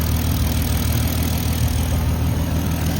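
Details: VW Mk5 R32 after thermostat housing and crack pipe replacement, first start while burping coolant: steady, even low idle rumble with no knocks or misses; coolant circulating, hoses firm, no leaks so far.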